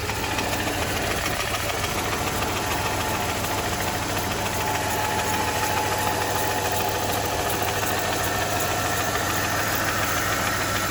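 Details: 2007 Mercedes E280 with the 3.0L M272 V6, built after the balance shaft fix. A steady knock of roughly three to four per second sits under a smooth idle, indicating internal engine knock.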